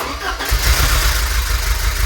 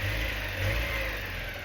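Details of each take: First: Porsche 944 first start of restoration after new crankshaft position sensor: lumpy, uneven idle with beat dropping out irregularly, one cylinder missing; misfire from sticking fuel injector, cured by tapping it. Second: Porsche 944, first start of restoration after new crankshaft position sensor; initial misfire cured by tapping on the injector: short steady run with even, smooth note and no stumble; engine now healthy.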